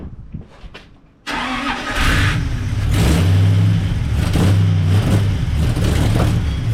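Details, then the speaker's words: 1939 Buick coupe 248 straight-eight, start after new coil, fuel fed by hand as the fuel pump wasn't delivering: cranks briefly, catches and settles into an even idle with smooth blips; runs healthy. "All right. Sounds good."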